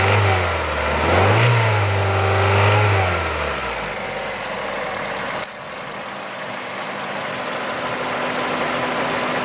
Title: Kia Ceed 1.6L G4FC engine rattle noise warm engine